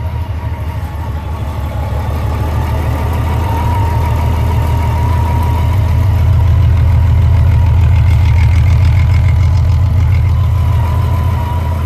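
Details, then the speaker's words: 2004 Honda Valkyrie Rune motorcycle after an Amsoil 10W-40 oil change, restarted warm after a 3-5 minute run and oil-level check: low, even throb of about three to four pulses a second, purring with no knocks or misses; healthy idle. "And she's all nice and warm now, so she's off idle up. You can hear how she purrs."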